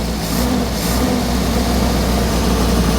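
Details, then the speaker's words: 1967 Morgan Plus 4 Drop Head Coupe just started after years unused, running old fuel; low, uneven idle with loose stumbling beat under steady exhaust rumble; runs but rough. "okay it's a little rough but I mean it's running"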